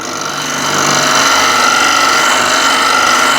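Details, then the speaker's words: Dull scraper on a lathe used with light touch on chestnut end grain, removing almost nothing and vibrating: steady dry rasp with a thin ringing whine as the blunt, burr-less edge rubs and chatters on spinning wood. "but if I just use light touch then nothing happens and I got vibration as well hope you can hear"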